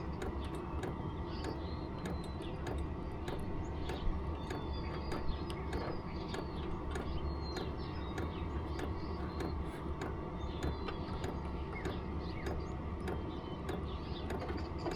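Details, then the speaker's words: Vevor 5 kW diesel heater after upgrading to a Wayska fuel pump and aftermarket muffler, turned down from level 10 to level 1: low, even rumble with soft regular pump ticks; much quieter than the original pump. "That's a lot quieter than the other one."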